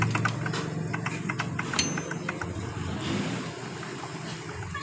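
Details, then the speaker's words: Yamaha Mio Sporty scooter with a piston already replaced by the owner; the oil strainer bolt was rarely opened, so dirt blocked the oil. Running engine gives rough, uneven knocking with sharp irregular raps over a low rumble. Connecting rod knock. "dan kita perhatikan suara kasar di bagian stangnya ini kita dengar Lebih jelas"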